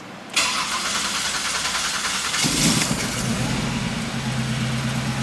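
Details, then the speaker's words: Buick Reatta after fitting a modified new throttle position sensor (idle reading 0.4–0.5): it cranks and catches quickly, then settles into a steady, even idle at 1,200 rpm with no shake. ABS is fixed, the check-engine light is off, and it revs quicker. "Much smoother. I don't feel like I'm going to get vibrated out of my seat."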